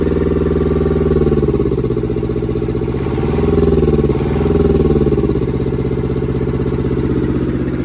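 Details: German air-cooled Deutz F2L511 two-cylinder diesel, ex-forklift, sat about 5 years: steady, even clatter settling into a regular idle without knocks or stumbles; sounds healthy.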